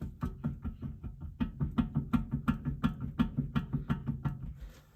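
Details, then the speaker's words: 1994 Mercedes C280 W202, front wheel rocked at 12 and 6 o'clock: hollow clunk repeating nearly three times a second, free play from a loose front hub bearing needing adjustment. Wheel spun fast earlier, possibly noise beyond pad-on-rotor rub. "Okay, now I'm gonna be spinning my tire really fast to see if a noise increases, because a wheel bearing, bad wheel bearing should make a louder noise when traveling fast. I think I'm hearing more than just brake pads on rotor."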